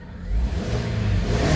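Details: 2010 Kia Sorento 2.0 gas automatic, earlier no-click no-crank with lost ECM/PCM communication and stalling on start, battery charged: engine fires up promptly and settles to an even, smooth rev with no stumble or misfire. Starts and runs normally.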